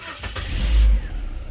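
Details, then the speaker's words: Chevrolet Optra that would not start (immobilizer issue) cranks briefly, catches cleanly and revs before settling after the immobilizer was cancelled, plug still connected; normal start. "ขออนุญาตวัดรอบนะครับอ่าฮะโอเคนะครับมาติดปกติงุ"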